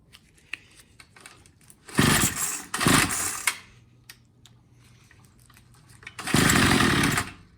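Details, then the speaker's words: Troy-Bilt TB22 EC string trimmer during carburetor tune-up, low-speed screw turned in clockwise: catches in short rough bursts then cuts out; lean low-speed mixture nearly stalls it, richen until it picks up for idle setting. "so you'll hear it when i lean it out i almost want to die and then you turn it back until it picks up and then that's your idle setting"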